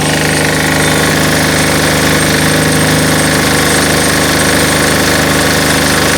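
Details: MEP-831A 3kW military diesel generator, single-cylinder Yanmar L70 296cc, new governor controller, no load: steady even chug at fast idle, no knocks or misses; normal idle.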